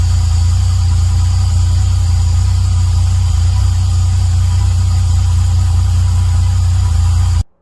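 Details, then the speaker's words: Rebuilt Toyota 1JZ-GTE, taken out over a half-moon seal leak, with turbo and plugs, just reinstalled and running: deep steady idle with a slightly uneven, lumpy pulse, running a bit rough, cause unknown. Rough idle. "It started running a bit rough, but I can live with that."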